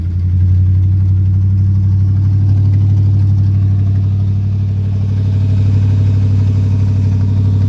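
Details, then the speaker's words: 1957 Chevy 210 with swapped 350 Vortec V8 on partly open manifolds: deep loud rumble running steadily, no starter grinding after fitting the correct stock starter for the 168-tooth flex plate. "So, we got the right starter in it now. No more grinding."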